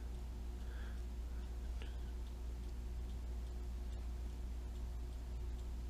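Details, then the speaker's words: Gummed-up cuckoo (chalet) clock with music box, partly disassembled, not yet cleaned: faint uneven ticking about two or three a second over low hum, sluggish; owner thinks it is too tight. Irregular clock ticking. "my wife bought two of them and that one i got running this one's so gummed up i think this is too tight"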